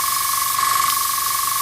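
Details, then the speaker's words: Iwata Sprint Jet model 800 oilless piston airbrush compressor, hose attached, running: steady high hiss with thin whistle, no knocks, air bleeding off through the bottom of the regulator filter as pressure builds — normal regulator bleed-off. "now when I switch this on you will hear a bleeding off through here through the bottom of the filter as it builds up you'll hear it in food so basically this is how you regulate the air"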